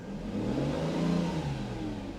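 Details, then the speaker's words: Mercedes S600 V12 with work almost complete. A smooth rev climbs and eases back with an even, deep tone and no knocks or misses; a healthy V12. "man she sounds so good legend likes it too he's over there checking out the sound love it"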